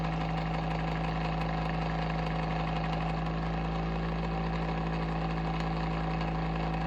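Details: Bionaire ceramic tower heater: constant motor hum with a steady low tone and a faint irregular rattle underneath; abnormal fan motor noise, cause unclear.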